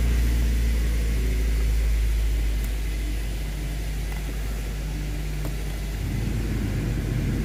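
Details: 2010 Mazda 3 running after replacing the dash air door (vent) actuator: steady low engine and blower rumble, the earlier clicking from behind the dash now gone.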